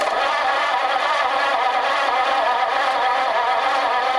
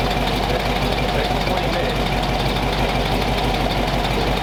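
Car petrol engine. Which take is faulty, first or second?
first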